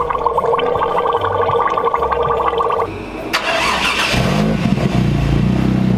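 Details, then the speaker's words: 1JZ-swapped Nissan S13 with overheating blamed on a faulty electric radiator fan: the running engine has a wet bubbling gurgle, like a drowning radiator or trapped air. New dual fans were fitted but weren't the confirmed cause. "that noise it sounds like your radiators drowning so I was like there's a monster in there"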